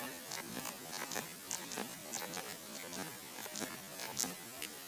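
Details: Nintendo 3DS at power-on, screen goes white then shuts off: faint electrical buzz with scattered crackles and pops from the speaker; owner suspects a disconnected ribbon cable, not confirmed.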